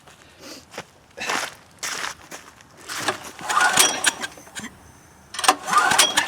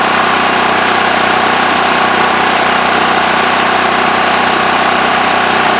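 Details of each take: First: Westinghouse generator cranking with choke on after starting fluid: uneven cranking bursts with a breathy hiss blowing out the muffler and no catch; suspected plugged exhaust, unconfirmed. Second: Westinghouse WH7000EC 7000 W electric-start generator with plugged spark arrestor removed from exhaust. Steady, even buzzing, constant pitch, no misses or surging; normal idle.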